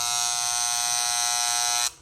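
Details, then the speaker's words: Corded hair clipper buzzes loud and harsh, then cuts off; the side power-adjustment screw is out of tune, and fine-tuning that screw fixes the noise. "sound crazy right that ain't how it's supposed to sound"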